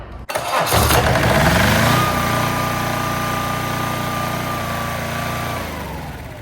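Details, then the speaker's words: Onboard two-cylinder diesel generator (6 kW at 3600 rpm, Bosch injectors) on a 1984 Peterbilt 359, first run: catches at once, steady even chug with no knocks or misses; runs well, but it needs a fuel solenoid. "That was it. Need a fuel solenoid. Runs good. Sounds good."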